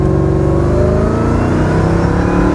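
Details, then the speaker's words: Mercedes E55 AMG wagon supercharged V8 with custom intake, during 0-60 runs (3.8 s); strong pull with steady high supercharger whine rising with revs, much louder than before; healthy, owner thinks a larger throttle body would be louder still. "it is much much louder definitely I think with the larger throttle body I would get even louder than that"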